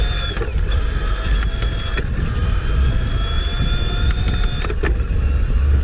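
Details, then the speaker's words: Kona Ecoco electric bike, Shimano mid-drive motor in eco assist while riding: light, steady high-pitched whine rising and falling with pedalling over road rumble; whine louder at higher pedal rates and speeds; normal. "I'm gonna try using it in eco this time, just see how that sounds. So this is a lot less power, the most energy efficient for good range, but just, it's gonna be more me working. (motor whining)"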